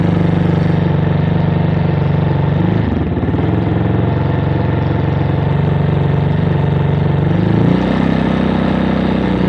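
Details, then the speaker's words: Motorcycle with 2400 km, stored two months at dealership without fuel: single-cylinder idles fine but held just off idle wavers with irregular pops; main jet and atomizer suspected clogged, carburetor to be removed and checked. "me gusta que hace unas explosiones o tiene variaciones no queda regulando parezco así que bueno vamos a pasar a sacar el carburador y vamos a revisar los chicles"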